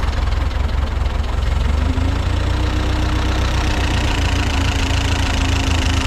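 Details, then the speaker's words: Ford 8N tractor restarting after carburetor cleaning: low, uneven idle beat with the odd stumble, still a slight miss. "well now we'll see if it restarts it'll be a good [Applause] sign still got a little bit of a miss"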